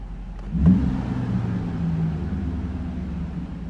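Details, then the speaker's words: 1991 Mercedes 500SL R129, M119 V8, warm on a 63°F day, after cleaning idle control valve: brief rev blip then steady slightly raised hum that hangs instead of dropping to idle; ICV still suspected. High idle hang. "oh, see, it's still hanging up just a little bit."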